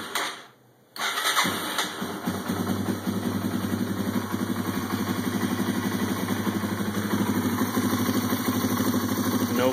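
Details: Yamaha TW200 single-cylinder motorcycle, just reassembled after setting valve lash (intake .002-.004 in, exhaust .004-.006 in). The starter catches quickly, then a steady, even idle at around three beats a second with no ticking or clatter on top; healthy.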